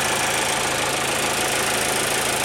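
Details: 2022 Nissan Altima SV, 2.5 L four-cylinder: steady, even idle with a light ticking clatter on top and no misses. Normal running, just not refined or quiet.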